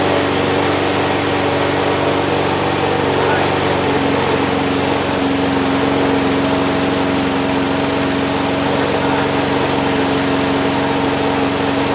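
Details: Abandoned Huskee XT650 mower that sat in a yard a year or two, started on just gas with its self choke, no starting fluid: steady, even buzz at constant pitch with no stumbles; runs smoothly.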